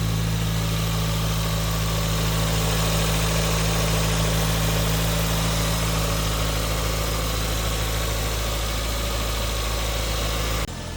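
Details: 1996 Toyota Starlet with 1999 Glanza V conversion, 4E-FTE turbo, 5-speed manual, stock engine and ECU, starter motor serviced with new brushes. Low, steady idle hum with an even beat and no misses, knocks or hunting; smooth idle.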